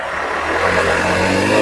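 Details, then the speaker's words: Honda Beat ESP fuel-injected scooter that stalled, stuttered and lost power at high rpm, after replacing the TPS sensor; revs climb cleanly and smoothly to full throttle with no stumble or cutting out; throttle response healthy. "mentok nah aman ya aman untuk gasnya udah aman sampai mentuk dia sudah aman"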